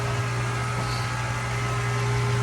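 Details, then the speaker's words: Maple syrup sugar shack vacuum pump heard in the background while the evaporator pans are filled with sap: steady low hum with constant tone, no knocks or rattles; normal running. "You can hear the vacuum pump humming in the background here."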